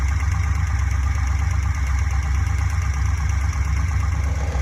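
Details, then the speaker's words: Fuel-injected Corvette V8 at steady idle with a modified cut valve cover fitted: light fast ticking about three per second; tick traced to cylinder three, suspected excess exhaust valve lash. "well they all sound the same they're actually kind of noisy black into all of them"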